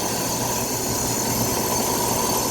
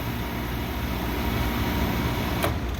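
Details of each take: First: Old inaccessible, neglected air handler (dirty) serving an old Carrier R22 condenser: steady blower rush with a thin high squeal from a wobbling fan motor that will not last much longer. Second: Old Carrier R22 condenser running after power was restored, neglected inaccessible air handler, old mercury thermostat suspected: steady low hum with a couple of sharp clicks, running normally with a temperature difference.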